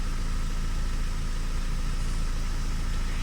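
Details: Opel Astra idling after fixing a cylinder-4 misfire (running on three cylinders) by cleaning the injector with WD40 and clearing codes: steady, even idle, smooth low beat about four pulses per second, no stumble; normal.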